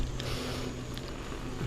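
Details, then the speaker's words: Five-year-old mountain bike, rear disc brake tested after pads that squealed from vibration were serviced: soft rolling rumble while braking, no squeal; front brake also quiet. "пробуем передние тормоза нажимаем вроде быть тишина сейчас попробуем задние тормоза"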